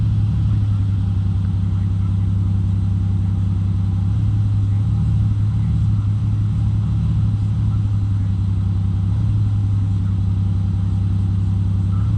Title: Supra misfire?